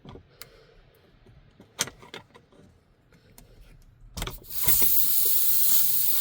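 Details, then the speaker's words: Truck air system deliberately bled down before undoing the supply pipe to re-pipe the diff-lock feed under the dashboard: a few clicks and taps, then a loud steady rush of stored air; intentional venting, not a leak. "Here we go. Right. So, that's all the air evacuated out of the system."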